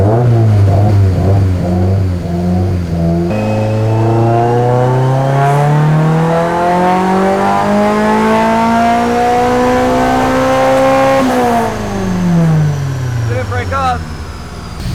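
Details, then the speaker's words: Car on a full-load dyno pull after the MegaSquirt coil dwell was cut from 3.5 to 1.9 for SR20 coil packs, fixing earlier ignition break-up: revs climb smoothly with no break-up, then drop cleanly; the run made 242. "242 um it's not breaking up that's huge yes that's a lot that's good"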